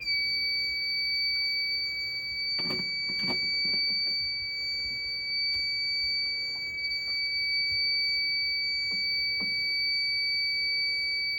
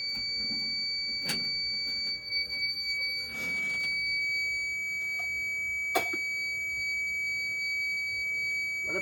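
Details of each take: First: Fire alarm panel system test with real smoke in the detector, after all-point test and reset, panel bugged: high unbroken alarm tone sounding continuously over bumping and handling. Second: Fire alarm system test, pull station pulled for a real alarm after an audible had failed to sound earlier, strobe firing: a steady high-pitched tone near 2 kHz holds throughout with a few short clicks. The horn sounds normally.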